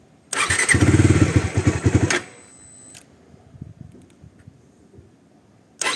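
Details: Bajaj Dominar 400 that wouldn't start in the morning, failing maintenance-free battery needing replacement, started on a jump starter: catches straight away and runs with a firm, even beat for a couple of seconds; starting normally.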